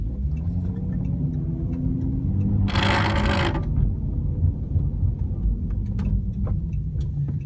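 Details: 2013 Chrysler 300 while driving: short sharp rattling ticks coming and going over steady road rumble, loose trim rattle from the rear parcel shelf.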